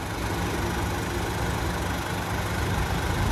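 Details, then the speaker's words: Pickup truck, engine heard with the hood open: steady, even low idle rumble with no knocks, misses or ticks, though a slight vibration was noted. Normal idle. "But other than that, it sounds good."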